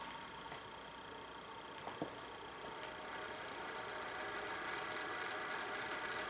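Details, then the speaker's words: Vantec HX4R (NST-640S3R-BK) enclosure cooling fan, about a year old: steady whine and hiss louder at higher fan speed, plus clicks; noise stopped after loosening fan screws to just snug, housing likely stressing fan frame. "okay what I have here is a van tech HX 4 R but it has a noisy fan and I'm trying to throw my way how to take it apart"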